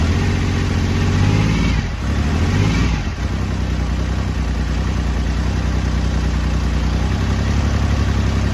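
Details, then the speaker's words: BSA Rocket Three Mark 2 five-speed (A75V) triple, just after a carburettor service for erratic running, started with less choke, not yet warmed: deep even drone, brief rev blip, settles smoothly. Normal running. "there we go uh sounds good took a little to start it because I think it was over choking it so as soon as I backed off the choke a bit and give it a more bit more air it was fine"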